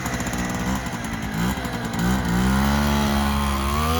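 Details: 1959 NSU Quickly 50cc two-stroke chopper moped, owner worried it may run a bit lean: high buzzy note climbs cleanly as throttle opens, no bogging or hesitation; pulls well.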